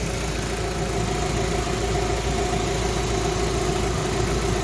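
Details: Rover 45 at idle, warmed up with heater temperature and working fan and gauge, run for about 20 minutes after two and a half years off the road: steady, even idle with a smooth low drone, no knocks, misses or whine; healthy.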